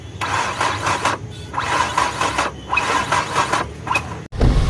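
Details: Nissan Sunny diesel, towed about 25 km after engine failure, battery fully charged: short one-second starter whir-and-squeal bursts with no engine turnover; engine seized after oil starvation, crank reportedly cracked.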